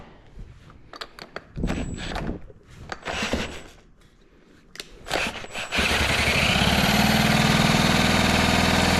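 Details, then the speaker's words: Mercury 4hp outboard that won't fire, spark present: several quick pull-over bursts then steady airy hiss without firing, air blowing out of a small cover while cranking; air leak. "Oh, it's leaking out of here. You hear it."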